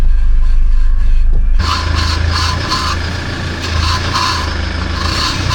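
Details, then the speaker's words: Toyota Land Cruiser 70 series 2.8 1GD automatic after rear pad and disc change, axle spun: rhythmic scraping rub over drivetrain hum from tight caliper, piston not retracted; a few brake pumps restored clearance and silenced it. ">> Wait a minute. What's that noise? So that caliper looks awfully tight to the"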